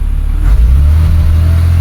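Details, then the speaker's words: 2008 BMW X3, warmed up about 10 minutes, loaded in reverse against the brake (stall test): a low, uneven drone at high revs with occasional stumbles. This is the intermittent misfire that appears only under heavy load, as when overtaking. "Oh, there. Nice. So, it is doing it now. And it has to be quite loaded, which explains why it happens a lot when he's trying to overtake."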